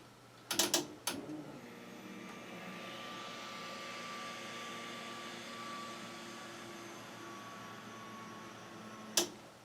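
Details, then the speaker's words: Turbocharged 1961 Chevy pickup project, first start: relay click, then the fuel pump hums evenly for several seconds before cutting off; it runs normally and holds pressure with no leaks, regulator not yet set. "I heard it run. Let's see if we have any leaks."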